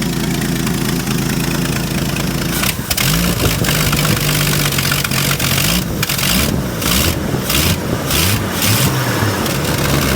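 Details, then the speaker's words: Ford bullnose pickup 300 cu in inline six after single- to two-barrel carburetor conversion: strong even idle with crisp throttle blips rising and falling cleanly, no misses or knocks; sounds far better, though fuel economy stayed about 10 mpg. "Man alive, listen to that. This sounds 1,000,000 times better."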